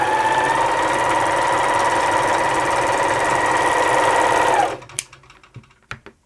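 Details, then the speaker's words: Elna T34D serger/overlocker after service and sharpening of the lower blade; even, smooth whirring stitch rhythm of about 3.5 beats a second with no knocking, sounding much better than before; normal running. "So as you can hear, it's sounding a lot better."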